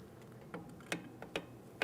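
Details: 2003–2008 Toyota Matrix rear drum brake: crisp clicks, about four in two seconds, from the star-wheel adjuster lever ratcheting during shoe adjustment. This is normal; the drum spins freely with slight drag.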